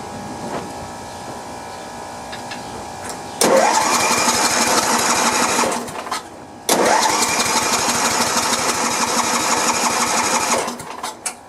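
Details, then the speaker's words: Sears LT1036 lawn tractor's Tecumseh engine, sat over two years: two bursts of steady starter cranking with no firing; no spark found, magneto and points under the flywheel suspected. "No spark. Alright, so I guess we need to dig down in here and check the magneto."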